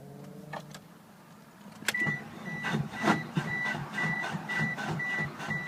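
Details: 1996 Mitsubishi Eclipse GST: uneven, labored cranking with a repeated click and no start; owner suspects a bad starter, not confirmed.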